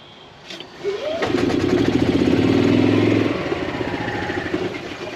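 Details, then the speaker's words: 2016 Yamaha petrol golf cart with slow starting, sometimes not starting at all: sluggish, labouring starter churn at about four turns a second before the engine barely catches. "we are dealing with a starts slowly starts sometimes or sometimes doesn't start at all issue"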